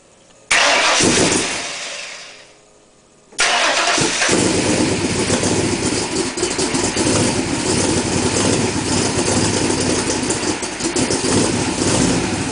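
Engine cranks, catches cleanly and settles into a steady, even idle with no misfire stumble or ticking; running smooth and healthy.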